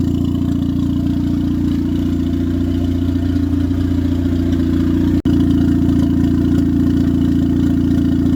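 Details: 1996-99 Honda Civic EK turbo after alternator replacement: smooth, even low hum at steady idle, no misses, surging or knocks; no longer bogging like when the old alternator drained the battery.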